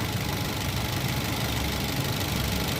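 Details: Toyota Avanza, Rush, Terios or older Xenia engine with idle speed rising and falling, worse with AC on; low rumble that surges and dips; ISC idle speed control valve on the throttle body suspected, cleaning or replacement advised.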